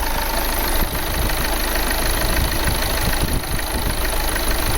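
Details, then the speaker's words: 2009 VW Tiguan 2.0 TDI diesel with misfire/shaking fault, idling with a sensor disconnected (glow plug light flashing): steady, even low diesel clatter without hunting or stumbles. Idle stable; suspect wrong part number or fuel pump fault. "i will show you now how the car runs rpm is stable of course the glow plug is flashing because i disconnect the sensor so have a look"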